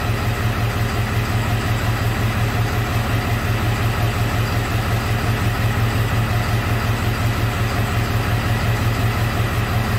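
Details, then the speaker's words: 2001 Ford F550 7.3 diesel with no power, MIL on, codes P0118, P0237, P1273: deep lumpy, uneven idle at about three pulses a second, a definite miss; cylinder 3 suspected. "this doesn't show you the live misfire graphic like the six liters do but you can hear this thing it has a definitely has a miss in it"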